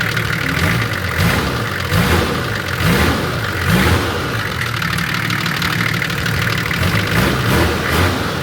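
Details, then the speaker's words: TD42 Nissan Patrol diesel with F66 turbo, injection timing set, on dyno; deep steady clatter at idle, throttle blips, whistling turbo like a big kettle; runs smooth and healthy. "It's never sounded like that. And that's how my old TD used to sound. >> Sounds like a real big kettle."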